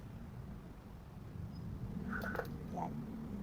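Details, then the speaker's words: Electric fan that made a noise from the back while spinning, after replacing the worm gear and oiling the rear: soft even low hum, no clicking, rattling or grinding; normal quiet running after repair. "Wala siyang tunog. So 'di ba success? Wala siyang tunog dahil sa pinalitan natin itong warn gear."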